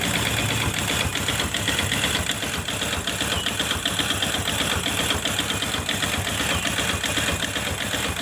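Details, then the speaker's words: Honda Supra X Helm In motorcycle idling with exhaust fitted and clutch removed; rough, uneven knock of two to three taps a second persists, attributed to the connecting rod. "berarti suara yang kasar ini ada di daerah sini suaranya ada di daerah sini yang ada di daerah sini komponen partnya yaitu Setang Seher berarti ini motor berisik yaitu dari bagian setang sehernya"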